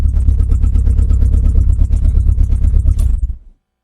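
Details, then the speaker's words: Renault Clio Mk1 1.8 16v, restart after long cranking: raw blatty unmuffled idle with sharp pulses then dies; loud because no exhaust system fitted, heavy fumes. "Ah, there we go. She's a runner. Nice. She's rather loud, and I'm currently getting choked out by fumes."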